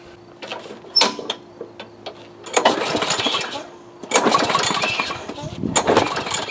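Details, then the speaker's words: Yard Machines Gold Series MTD mower: uneven recoil pulls with scraping whirr, no firing, soft turnover; compression only reaches 60 with oil in the cylinder, engine worn out. "wow it goes up to 60 with oil in it that's this thing is shot"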